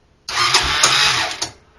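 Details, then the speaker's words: 2007 Honda 400EX quad, cold night, choke pulled; has compression but won't start. Starter churns about a second with a few uneven chuffs, engine never catches: cranks but won't fire. "and it's got compression but I can't get it to start so it's for sale"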